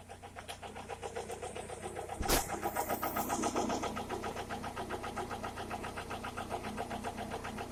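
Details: Toyota Corolla E110 with 4E-FE engine at idle, a steady fairly quick knock repeating over the hum; internal engine knock, cause not yet known.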